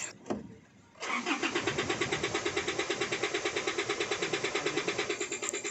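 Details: Isuzu D-Max diesel: steady starter cranking at around three beats per second that never catches. Fuel rail pressure reaches only about 8 MPa during cranking, so the engine is starved of rail pressure and won't start.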